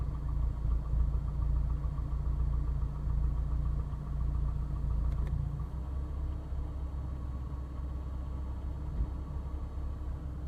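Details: Engine at idle with a faint irregular tapping under the rumble, idle tone dropping midway as load changes; switching A/C on and off seems to induce it; owner suspects piston slap; cause not confirmed.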